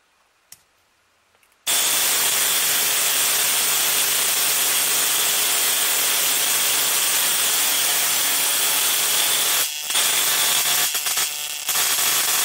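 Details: 555-timer ignition coil driver/tester on a 7 Ah sealed lead-acid battery, final 0.05 setting, gap separated a little, close-up: a steady, harsh buzzing crackle with a thin high whine; strong, healthy spark.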